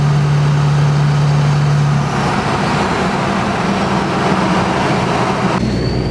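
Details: 2005 Dodge Ram 3500 5.9 Cummins driving with a newly installed Fleece Cheetah turbo replacing the failed one: steady diesel drone under road noise, then a clean rising turbo whistle with no flutter or grinding; turbo spooling normally.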